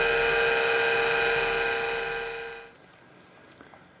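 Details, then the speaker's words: MiniScribe hard drive in a 40-year-old IBM 5161 expansion unit on an IBM PC 5150, mic close to the drive: loud high whine with stacked tones during a slow, speed-varying spindle spin-up, then cutting off abruptly. "that was a bit strange it takes the spindle a while to run up to speed but you can hear it varying speed until it sort of steadies"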